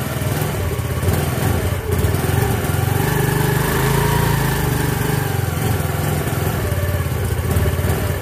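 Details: Yamaha Mio Fino scooter after a new clutch bell and clutch lining, carburetor misfiring slightly: steady drone that swells and settles, with no rattle, scrape or chatter from the CVT; drive sounds healthy.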